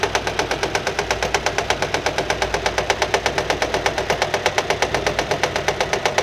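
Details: Nissan at quiet idle with sharp, even slapping about three times a second; engine found fault-free, noise came from a fraying alternator belt hitting the metal body as it turns.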